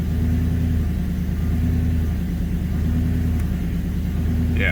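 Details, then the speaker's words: Manual Ford BA GT Boss 290 V8 on first start after fitting an upgraded intake plenum in place of the factory plenum and 75mm throttle body, before retuning: steady, even burble at a noticeably fast idle without hunting. The idle is too high and needs bringing down. "Yeah, so it looks like I need to bring it down a bit."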